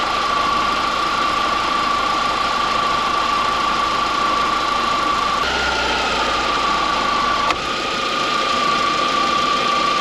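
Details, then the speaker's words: 2004 Volkswagen Beetle at idle after the A/C clutch, pulley and coil were replaced, with fans on: a steady idle under a constant mid-pitched tone and fan rush, no grinding or chatter, A/C pushing air. Normal A/C compressor operation. "Let's see if we have AC. Fans. Hey, look at that. AC. Pushing away."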